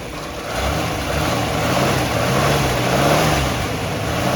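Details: 1964½ Ford Mustang coupe, unrestored, possible fuel or water pump leak: engine catches on cold start and rises into a low, slightly wavering idle rumble with no knock, tick or rattle; normal cold start and idle.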